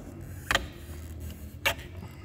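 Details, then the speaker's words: VW Jetta with the 2.0 TSI EA888 chain-driven engine: two short, dry rubbery creaks about a second apart as the engine mount flexes; the worn engine mount rubber was the source of the mysterious creaking noise. "é esse rangido aqui não é o croque que fez ali então era esse abençoado esse barulho croque croque"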